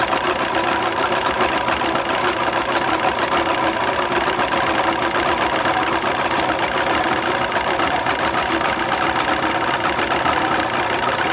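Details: 2001 Mercury 200 hp EFI outboard on a ProCraft fish and ski, loses power under load and won't exceed 7 MPH; busy idle with slightly uneven, rough beat, maybe a cylinder not firing cleanly; mechanic suspects fuel injectors, unconfirmed.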